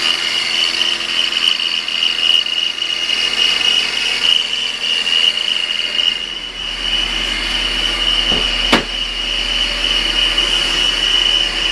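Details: 2000 BMW 528i at idle: steady high-pitched whirring chirp from the belt run, goes away when revved; worn idler pulley, replaced with both tensioner pulleys and new belts, noise much better after.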